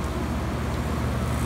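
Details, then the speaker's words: 5-ton packaged heat pump, probably used under six months, running in cooling mode with supply air cooling to about 50°F; steady, even low hum with no knocks, rattles or pitch swings, normal cooling operation. "um right now it's running in cooling mode it's running in cooling mode"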